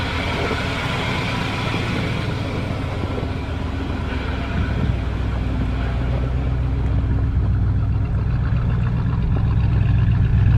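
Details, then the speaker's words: 1978 Dodge D150 carbureted V8 at -23C (wind chill -35C), block heater plugged in, sat since Thursday, idling about 6-7 minutes after cold start: low steady rumble firming as it warms, no knocks or misses; healthy cold idle. "Oh, the weather outside it's just cold. That's all. Nothing crazy. Well, listen to her. She is just purring away."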